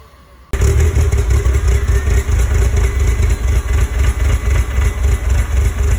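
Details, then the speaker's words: 1999 Porsche Boxster, first start after days of repair work (hose reclamped): catches with some white smoke, then an uneven, lumpy idle with irregular low pulses and a rattly edge and nasty smoke; earlier backfire seems gone. Rough idle, cause not yet known. "still sounds a little rough got some pretty nasty smoke coming out"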